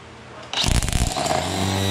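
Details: Craftsman V20 cordless electric string trimmer, about 2 years old, after replacing the spool cap but reusing the old spring to fix line feed: motor spins up sharply and settles into an even steady whirr, no catching or rattle; normal running.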